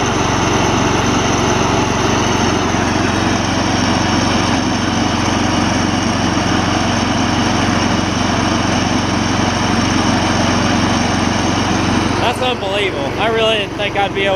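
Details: Old Gravely 16 Professional walk-behind mower, sat a while, formerly frozen mower deck now freed and working: small engine holds steady, even drone with deck spinning, no grinding or squeal; mower and deck run normally, belt longevity uncertain.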